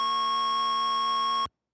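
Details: Liquid-damaged TI-99/4A computer after cleaning: single steady high-pitched tone holds unchanged until power is cut, no normal boot beep; stuck on its power-up tone.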